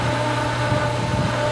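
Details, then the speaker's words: Pool pump on its first start of the 2022 season: steady low motor hum with faint watery swishes as it begins drawing water. The pump is catching its prime. "i kind of know based on the sound of it right now it sounds like it's really trying to pull some water but there there was a little drop that came oh my it's taking water folks"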